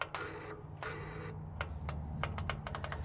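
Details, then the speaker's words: Old tractor after repeated cranking: harsh grinding bursts then ragged ratcheting clicks on key turn; starter suspected failed, new solenoid fitted but did not fix it. "yeah that starter sounds like that starter gave up the ghost just then which stinks oh man maybe we trying to spin it over too fast or something"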